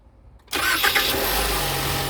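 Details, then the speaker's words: 2018 Ford Explorer, after starter replacement: quick crank catches almost at once and settles to a steady idle, one click but the previous starter noise is gone; healthy start. "Okay guys, ito nyo, pares pa rin, 1 click pero wala na yung ingay."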